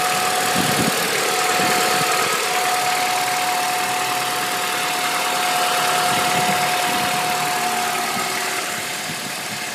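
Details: Honda Accord engine noise at steady idle: a thin, constant whistle-like tone with even light tapping near four per second; cause unclear.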